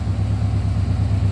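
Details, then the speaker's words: 1972 Chevrolet C10 Cheyenne with 350 Chevy V8 and Turbo 350 automatic, heard from the rear; deep, even V8 rumble at idle, no knocks, misses or ticks, not smoking; normal idle. "slip around to the back again nice sounding nice running not smoking or anything"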